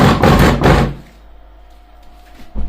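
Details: Car bass tube class D amplifier after repair of no-sound fault, subwoofer wired plus to plus, minus to minus: loud deep bass thumps for about a second, then quiet; plays cleanly without distortion, amplifier working.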